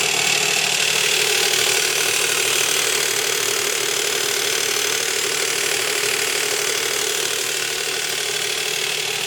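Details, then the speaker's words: 2005 Nissan Quest 3.5 V6 at idle, front cover partly off: loud, busy metallic clatter of the timing chain slapping because a broken tensioner guide slid down and the plunger pushes on its metal backing. "the chain is the chain is making a tremendous amount of noise because of the way that tensioner is writing"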